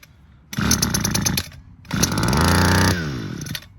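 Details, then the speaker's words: Hedge trimmer two-stroke, gasket undamaged, started on choke, outdoors: catches and burbles unevenly with blubbery revs, then sags and nearly dies. Very rich mixture and very low idle; idle screw not touching butterfly. "Ooh, very rich, and idle is very low."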